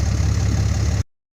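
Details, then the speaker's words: Dodge Cummins 5500 diesel idling after an alternator failure that had dropped the voltage gauge to eight; the alternator now makes almost 15 volts and is charging the batteries. A steady, even low rumble with no knocks, misses or squeal, so it sounds healthy. "you can see the alternator is already making 14 uh actually almost 15 volts which is good and now it's pulling down it's just working on charging the batteries now"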